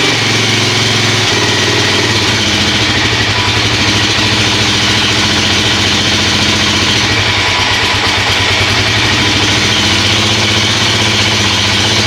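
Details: KFX400 single-cylinder quad, just restarted on choke after a wet winter outdoors and a service (new oil and filter, carburetor, cable, chain), idles steady and even with a smooth, unbroken beat and no knocks or rattles; healthy normal idle.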